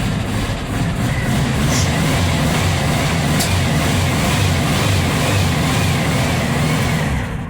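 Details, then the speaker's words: Cold VW Type 4 engine (air-cooled) just started after valve guide work, burning about a quart of oil per 200 miles before; steady lumpy low idle with soft pops back through the throttle/carburetor because the engine is cold. "मैं अपने throttle के माध्यम से popping कर रहा हूँ क्योंकि engine ठंडा है"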